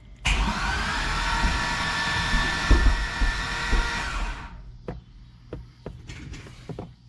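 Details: 2005 Corvette with a built engine and Kong 2650 supercharger, PCM freshly flashed with a new tune, in neutral with the AC pressure sensor unplugged: the starter whirs and the engine turns over steadily for about four seconds but never fires; cause not yet found.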